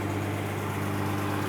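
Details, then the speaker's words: 2015 Mercedes-Benz S65 AMG after full engine rebuild, idling smooth and even with a steady low hum and no knocks or ticks. An earlier noise was traced to the starter motor touching and went away when its bolts were loosened. The engine is fine. "But at least the engine's fine. There's nothing wrong with this engine."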